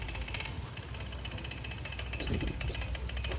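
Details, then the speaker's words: ADV scooter with several noise sources, owner suspected timing chain: with rear pulley removed, a coarse, heavy chattering rattle over low engine drone persists; front CVT pulley worn rough with free play in its centre bush, a noise source. "Kalau korang perasan bahagian puli depan ni dah start makan kasar. Bahagian bush tengah pula dah start banyak free play. Ni bunyi punca, bunyi bising juga ni."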